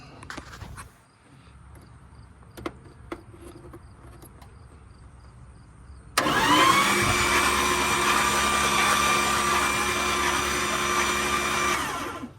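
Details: 1970 Dodge D100 383 big block that sat 30+ years, cranked on a jump box after Marvel oil was pumped from the cylinders. It spins at an even pace with no drag or tight spots; no spark yet.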